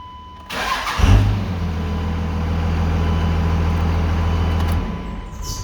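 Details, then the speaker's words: 2001 Dodge Ram 5.9L Cummins 24-valve diesel with VP44 pump, crank/no-start fixed by replacing an odd-looking fuse: short crank, catches at once, steady even low idle without stumbling; normal start. "now you technically don't have to wait for that weight to start like because i mean it should be immediate you know just like that"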